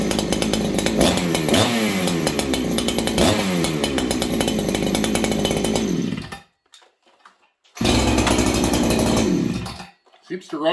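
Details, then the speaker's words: Ported clone Husqvarna 288XP chainsaw (Farmertec cases, NWP crank, SKF bearings) on its first run after a heat cycle, still warm, no pipe fitted. The harsh two-stroke screams up from idle with a brief low-end bog before clearing. "okay it's got a little bog on the bottom not too bad sounds good it's very energetic it feels right"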